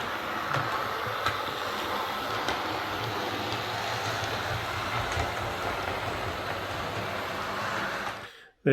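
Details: Hornby Class 142 Pacer model diesel railcar after repair of noise and wheel wobble (loose tire): quiet even motor whir with soft rail clicks at steady pace, no grinding; normal running.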